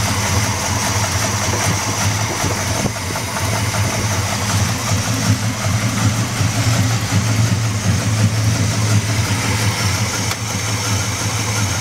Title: 350 Buick Engine Knock